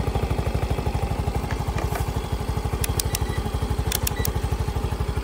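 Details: Yamaha Mio i 125 scooter after rectifier/regulator replacement for check engine code 46 and hard starting: even single-cylinder putter around three firings a second, steady idle, no knocks or misses; charging now 14.51 V, running normally.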